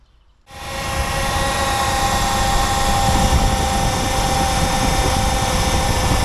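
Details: Jeep Commander/Grand Cherokee 5.7 L HEMI V8 started after replacing the poly-ribbed belt: it fires up and settles into a smooth, steady idle with no squeal or chirp from the belt drive. Healthy.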